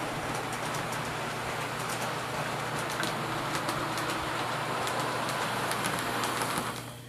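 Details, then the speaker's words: Athearn P42 model locomotive no. 156, test run after lubrication, hauling a light load of 3 cars: steady, even motor hum with light rail clatter and wheel ticks, no binding or stalling. It runs fine and is considered fixed. "Alright, well, we ran it, and ran pretty good 3 times in a row, so I think it's safe to say that the locomotive has been fixed. It's lubricated, it's running fine."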